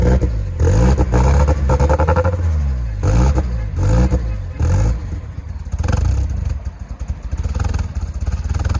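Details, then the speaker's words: Nissan S14 after returning from a shop: uneven, lumpy running with repeated rev blips and irregular clatter, hunting rather than settling. It smells like it is dumping fuel, shot a smoke ring, and runs worse than when first started. "Dude, when we started it, It smells like it is dumping fuel for sure."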